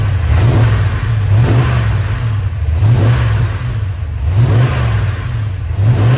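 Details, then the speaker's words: Rebuilt 1990 Mopar 318 small-block V8 from a D150 truck (Comp special-grind cam, Air Gap Magnum intake, new Rock Auto parts), first run, warm around 175°F, 15° initial and 33° total timing; steady, even idle with a smooth regular beat, no knocks or misses. "Smooth as butter. Well, we're up to temp, like 175-ish. It just sets and runs like a little sewing machine here."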